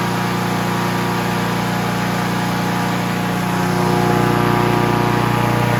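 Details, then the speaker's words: Honda HR17 push mower, flathead engine, guessed early-to-mid 1980s, after freeing stuck governor and likely sticking throttle butterfly, shroud off: smooth, even firing patter at operating rpm, picking up slightly near the end; running well. "so everything is uh freed up now that governor was stuck a little bit uh I think the butterfly was too but nice and free now started right up runs good it went to uh where it should operating RPMs"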